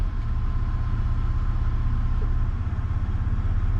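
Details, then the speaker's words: 3rd-gen Toyota 4Runner idling in park after being shifted through drive and neutral: rough, uneven idle with random misfires and slight knock; owner suspects a fuel injector. "and then it'll just randomly start misfiring so i'm not 100 sure what's going on with that again i think it might be a fuel injector"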